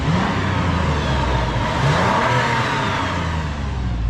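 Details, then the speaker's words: 2014 Toyota 4Runner at 211,000 miles, oil changed about yearly with Mobil 1 full synthetic: engine revs up smoothly with a clean rising pitch, no knocking, ticking or sound of wear. "And no noise, no knocking, no sound of wear and tear, nothing at all."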